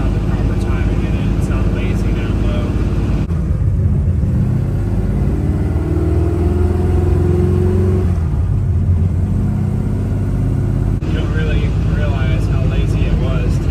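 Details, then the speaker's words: 1970 Chevrolet Nova, GM 572 ci big-block V8, carb retuned, distributor locked out, Tremec TKX 5-speed, 3.50 rear (cruises 1,800 rpm at 65 mph in fifth); accelerating: smooth rising note, no stumble or hesitation; healthy. "car that feels really good it's really responsive yeah the the torque you can tell it a lot more torque when you get on it light throttle than before because that distributor's locked out"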